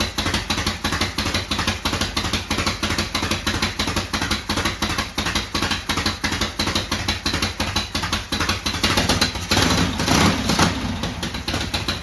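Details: 1972 Harley-Davidson Sportster V-twin, cold first start after sitting 32 years, after a new starter, solenoid, regulator and wiring. It holds a steady uneven loping idle of about three beats a second, normal.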